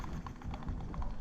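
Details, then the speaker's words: Cheap foldable scooter ridden slowly: a dry crackle repeats about four times a second over the rolling noise, in step with the rear wheel; rider suspects delamination at the wheel core, or rubbing. "Basically, that comes from when there's a little delamination between the core of the wheel, or it's slightly overlyzed, or it's literally just rubbing."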